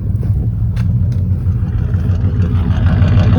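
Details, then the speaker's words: 1985 GM square body truck, revived after sitting 10+ years, idling: a deep, steady burble with even pulses and no skips or pops. "awesome boy this is really purring the more it runs the smoother it gets"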